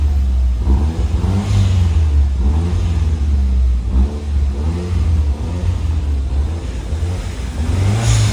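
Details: 1996 Toyota Starlet with Glanza V conversion, stock 4E-FTE turbo, 5-speed manual, exhaust valve (Valvetronic) on. Deep, even exhaust rumble, mostly from the tip, rising and falling with each throttle blip, no misfire or rattle; healthy.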